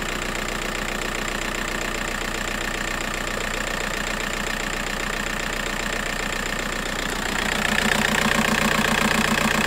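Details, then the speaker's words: VW Golf 4 TDI 115 diesel, previously juddering and shaking, now idles with a steady, even clatter and picks up smoothly after the wiring harness fault was fixed; ESP warning light gone. "mais quand j'ai démarré il y avait plus de voyons ESP c'est un bon signe donc le problème est réglé"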